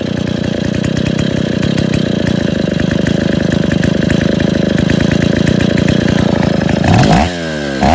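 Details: Rebuilt Stihl 070 two-stroke chainsaw (bottom end reassembled, new seal; no choke, cover or bar yet) holds an even, rapid putter with no misses, then gives a couple of quick blips at the end: normal idle.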